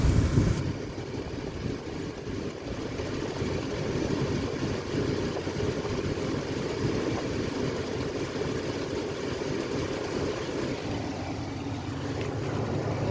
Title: what is that clicking noise?